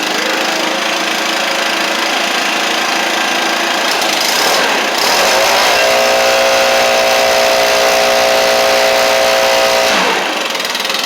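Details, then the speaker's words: Leaf blower (Stihl BR700, BR420C or Husqvarna 125B) after Hipa carburetor kit install and choke adjustment: steady, even two-stroke buzz lifting to higher revs and settling back cleanly; running smoothly. "So, let's crank it up. I just kind of had to play with it a little bit. Little bit of choke settings and stuff."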